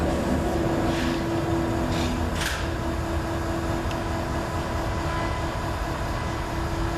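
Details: 1942 Chevy truck with a Cummins diesel: the starter cranks steadily at about 220 per minute but it never fires, with air in the fuel and no boost. Owner suspects low compression or a stuck valve after long sitting.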